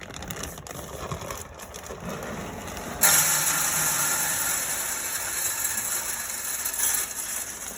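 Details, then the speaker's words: Camp Chef SG pellet smoker after auger motor replacement, plugged in: small motor hum switches on and holds steady with a faint ticking turn; the new auger drive runs normally. "Plug her in and see. Now I can hear that auger going."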